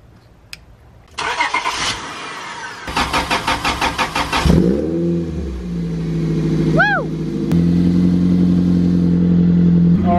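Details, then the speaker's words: Toyota MR2 Spyder 1ZZ-FE after in-car rod bearing replacement, oil cycled a couple minutes, partly warmed up: cranks, catches cleanly, blips and settles into a smooth steady idle with no bottom-end knock; healthy. "right it's been a couple minutes we've let the oil cycle through it's warmed up not all the way warmed up but we're gonna give it to test"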